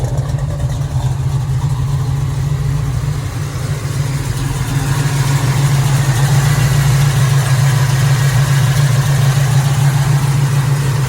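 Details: 1969 Chevrolet Nova, 427 GM crate V8 with FiTech EFI, Headman headers, Flo Pro dual exhaust, 4-speed: low, even V8 lope holding steady, no misses, ticks or knocks; healthy idle.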